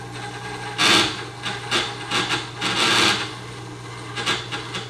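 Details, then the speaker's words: Sharpening cheap Westcott Titanium scissors on a Tormek T-8 wet grinder at a high angle, possibly 45°: steady grinding rasp broken by uneven rattling bursts as the blade skips; intermittent chatter, cause unclear, suspected steep angle. "And you hear that chattering that it's nice and grinding and then all a sudden it's I'm not sure what's causing that."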